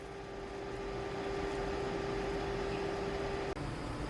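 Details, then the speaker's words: Lenovo Legion gaming PC with GPU temperature capped at 80: a steady airy fan rush with a thin constant tone at full-load fan speed. Normal. "this is the speed at full load"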